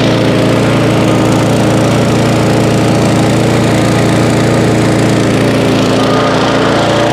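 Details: Auto-choke single-cylinder mower, stored 5 months on ethanol-free fuel without stabilizer, about 30°F, started after roughly 30 pulls; owner suspects auto choke caused hard start: steady, even chatter at constant speed, no misses or surging; normal running.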